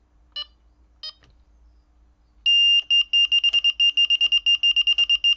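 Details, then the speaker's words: Delkim bite alarm switched to beep speed 2, response halfway: steady high beeps quicken but never merge into a warble; beep speed probably a little too low. "it's not going into the warble anymore. It's probably a little bit too low."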